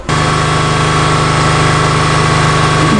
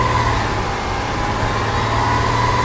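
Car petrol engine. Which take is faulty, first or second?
first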